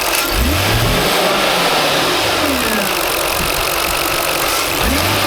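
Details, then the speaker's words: 2003 Jaguar XJ8 (X308) with restricted performance mode, knock sensor A/B and bank 2 O2 sensor codes, driving: brief stumble as throttle snaps open then picks up, fine when applied slowly; owner suspects vacuum leak, not confirmed. "If I do it slowly, it's fine. But if I if I try to lay on it, it's like it's it see it it hesitates."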